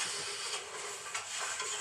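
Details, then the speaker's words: Steady, bright sizzling hiss with faint crackles from a production seam or spot welding arc running normally, picked up by a sensor to measure welding time and estimate welder wear. "that's the welding that's the welding right it's so loud you cannot hear that but this is the sound generated by picked up by the sensor"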